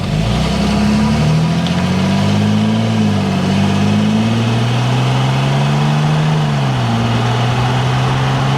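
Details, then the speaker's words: 2008 Mercedes-Benz GL320 CDI after muffler delete: deep, loud open-exhaust diesel note rising and falling smoothly with the throttle, with no knocks or rattles; normal diesel revving. "we're going to fire this thing up, get it pulled out there, see what it really sounds like."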